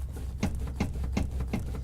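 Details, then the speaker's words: 1997–2006 Jeep Wrangler TJ rear seat rattle: sharp metallic clicks, about five in two seconds, as the seat rocks, from metal-on-metal contact at the back of the seat or at the front pins; fix planned with padded athletic tape. "Mine just started doing this just a little bit, and I'm pretty sure it's because of, if we lift this back here, we have metal on metal contact here, and when the seat moves, makes a little bit of a,"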